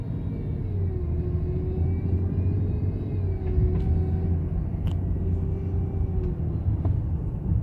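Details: BMW F10 535i with a weird noise. Low, steady rumble with a faint wavering hum in the mids and a few sharp ticks. Something is off, but the source isn't clear.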